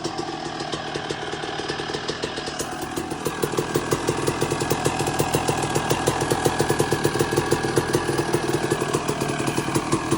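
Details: 2002 Suzuki RM250 two-stroke after full motor swap, second heat cycle, no choke, new iridium plug, idle adjusted: crisp steady pop about three beats a second, no rattle or hunting; normal idle.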